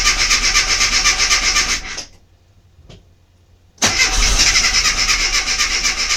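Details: Mini MPI that won't fire up: steady starter cranking with even compression beats about four a second, a pause, then more cranking, and the engine never catches; cranks but no start.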